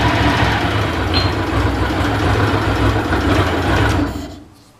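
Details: Ducati 750 SS Super Sport, 750cc air and oil cooled V-twin, about 65 hp, three owners, freshly serviced with new plugs, filters and cam belts: crisp even throb picking up cleanly on throttle and settling smoothly; normal idle and revving.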